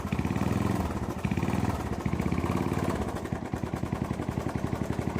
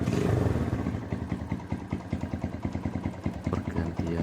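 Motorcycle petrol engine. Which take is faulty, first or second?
first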